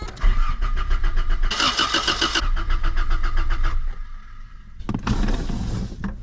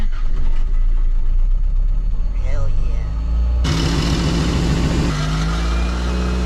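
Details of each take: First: 1987 Toyota Corolla FX16 GTS, odometer 191, cranks but won't start even though a mechanic replaced the fuel pump: starter spins the engine in even bursts with no firing, as no fuel is reaching it. Later traced to pump wiring routed through a relay to the defroster switch, a suspected kill switch. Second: 1987 Toyota Corolla FX16 GTS with a crank-no-start fault, fuel pump fed directly from the battery: cranking rumble, then the engine catches sharply and settles to a steady, even idle; normal start once fuel reaches the engine.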